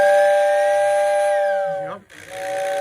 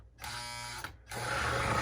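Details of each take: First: Two clear, steady whistle blasts with firm, even pitch and clean cutoff from a postwar Lionel whistling tender (paired with 736 Berkshire), serviced on the workbench; whistle works properly. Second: Lionel 736 Berkshire postwar model train locomotive needing service: small motor whines, stops, then runs on with a harsher, rougher strained drone; mechanism tight, stiff from hardened grease.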